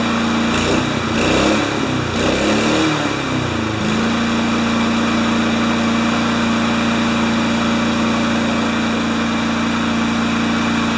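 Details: Kohler-engined Craftsman mower after servicing: speed wavers for a few seconds, then settles into a steady, even drone with no misses; running properly.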